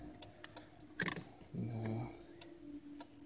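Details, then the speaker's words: 2010 Hyundai Santa Fe 2.4: light, rapid flasher relay ticking continues nonstop after the turn signal switch is released. Caused by dirty turn signal switch contacts; nudging the switch up stops it. "so that's the sound we'll make it would just new would not stop so all you do is just move the switch up a little bit if it subsides"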